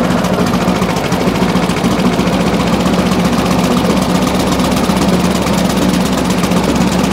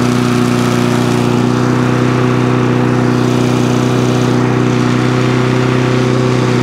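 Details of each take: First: Briggs and Stratton push mower after a new spring and new air filter, engine sped up: it runs rough and hunting rather than smoothing out; dirty carburetor suspected, clean plus possible gasket and diaphragm change planned. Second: Briggs and Stratton lawn mower engine that would not start, running after quick carburetor clean and main jet refit, air filter removed; steady even single-cylinder note, no misses or surging; runs normally.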